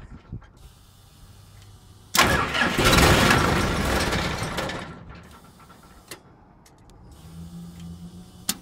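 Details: CAT/Perkins 3054C diesel on a wood chipper, unrun three years, cold start after filter and fluid change and a new battery cable replacing a corroded one: brief crank, catches with a loud burst, settles to a quieter steady idle; normal start.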